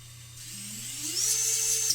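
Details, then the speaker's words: 5-inch FPV quadcopter build, props off, LittleBee 30A ESCs: motors' smooth whine climbs quickly then holds a steady high pitch with no grinding or stutter; all motors spin the correct direction. "Oh, that sounds really nice. Very nice. Everything's fine. They all spin the right way, as they should do."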